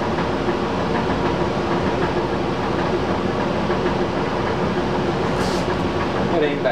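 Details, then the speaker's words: Old squirrel cage blower after worn belt replacement, new belt possibly a bit too tight: steady even rushing hum, much quieter, only a faint soft rattle from the blower; runs smoothly. "as you can hear it's a lot quieter a little bit of rattle to the blower it's softer"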